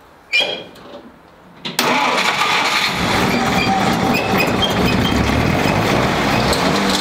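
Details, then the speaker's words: 1946 Willys CJ2A Jeep, first start after five years in storage, choke half out: cranks, fires and settles into a fast uneven idle with a thin high squeal over it; owner suspects the belt; squeal on startup. "turn now that I don't know what that is but it runs guys I have no idea what that squealing was I'm wondering if it's the belt"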